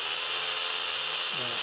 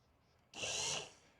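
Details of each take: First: Reico Titan truck camper electric jack: harsh, rough high-pitched motor drone for about two seconds, much noisier than the other jacks; motor sounds worn and going, and a spare motor runs much quieter. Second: Rieco-Titan truck camper jack, spare motor tested during teardown: a brief, smooth high whir with no grinding or clunking, much quieter than the original motor, which sounded like it was going.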